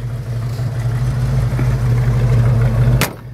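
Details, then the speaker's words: 1976 Ford Bronco with 302 V8, electronic ignition: even steady low idle rumble with no knocks, misses or whine; smooth, healthy idle. "well let's start it up and I'll let you hear it it's a pretty smooth running 302 I'm pretty excited about this Bronco"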